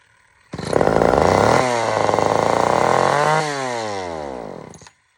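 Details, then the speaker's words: Old Sears Explorer II chainsaw, good compression, previously fired and died: revs up unevenly, holds a ragged high note, then sags and dies; not normal, carburetor mixture screws need proper adjustment, muffler falling off. "is not normal at all I got to definitely adjust this really really really good"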